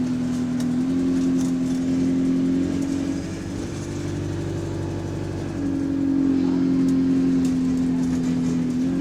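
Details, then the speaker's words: GAL 731 diesel bus on route 126: light, sharp ticks about four a second over the diesel drone as it pulls and eases, heard at idle and then dependent on throttle above idle rpm; repetitive ticking under throttle, source unknown. "what causes that tick noise you hear it on the ID yeah and then once the RPMs pass the uh the ideal RPM yeah it only becomes dependent on the thr level"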